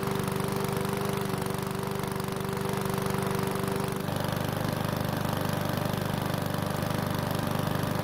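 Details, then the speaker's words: One-season-old self-propelled Powersmart mower with the bigger engine, after fresh fuel and a no-start fix: single-cylinder putters evenly at about three and a half beats a second after brief smoke clears; healthy. "so the mower started on the first pull which is great news and even though it blew out some smoke it eventually went away"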